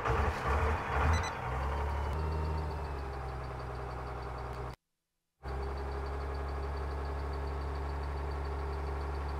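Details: 1978 Ford F250 body on a 1997 Dodge 3500 12-valve diesel, six-speed (possibly NV4500), electric lift pump, sat for years: catches after a short crank, settles into deep steady even idle; normal cold start despite long storage.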